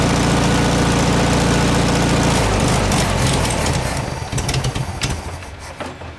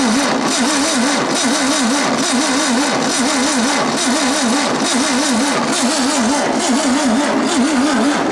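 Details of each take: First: 1967 VW air-cooled flat-four (ragtop), long-stored, on old stale fuel with fan housing off; thrums evenly then beat loosens and drops away at shutdown. Runs healthy; owner suspects no accelerator pump. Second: 1967 VW ragtop engine, cranked on a jumper pack checking for spark: steady, even cranking at about three compression beats a second that never fires; crank no-start due to weak spark from faulty condenser.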